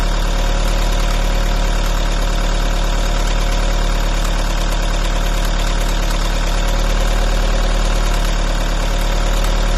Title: volvo v50 strange engine noise. anyone had this noise?